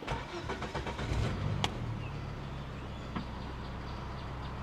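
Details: 1997 Volvo 850 Turbo, abandoned and long unused, timing belt not yet checked: short crank, catches quickly and drops into a smooth, steady idle with no misses or knocks; a normal start.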